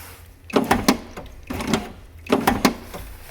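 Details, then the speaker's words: BMW E36 convertible power window stuck down, before repair: motor works and window is in its tracks; window goes up about an inch with three strained bursts and crunchy clicks, then stops. Grease and 10-second reset didn't help; cause unknown. "So this is all it does, and then it stops. It just gets stuck right there, and I can't figure out what is going on. And you can hear like a weird crunchy noise."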